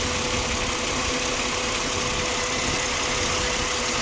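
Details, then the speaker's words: 2007 Ford Explorer XLT after coolant leak repair: smooth, even idle with no squeal, chirp or rattle after WD-40 was applied to the noisy belt tensioner bearing and it was rotated; owner fears the noise may return; normal idle. "i think the noise is gone after putting wd-40 and rotating it for a while"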